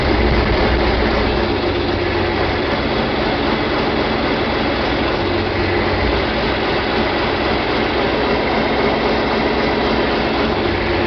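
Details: John Deere 4020 diesel tractor after clutch replacement and split reassembly, in park around 1,000 rpm after working air out of hydraulics: even, constant drone with no hunting or stumbling, "looking better"; smooth normal idle.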